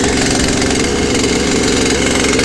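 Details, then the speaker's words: Poulan chainsaw with newly replaced carburetor, cold start after sitting a couple of days, three pulls on choke: loud, steady buzzing idle with a fast, even beat, no stumbling. "I'll let it idle for a little while before I rev it up."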